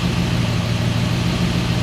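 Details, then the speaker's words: 1969 Mercedes-Benz 280SE (W108) during restoration, warming up: steady, even low idle with a smooth unbroken rumble and no stumbles; oil pressure about 30, temperature climbing a little, radiator thought somewhat deficient; sounds pretty good. "Temperature is climbing a little bit here. And it sounds pretty good."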